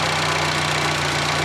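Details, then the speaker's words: Fiat Panda 4x4 Sisley after carburettor-to-throttle-body fuel injection upgrade, started cold with no choke, fuel pressure about 10–12 psi: steady, quiet, even idle with light normal injector ticking, no other noises; healthy normal idle. "as you can hear it runs nice and quiet there's no really any noises or anything you can hear the injector ticking which is normal"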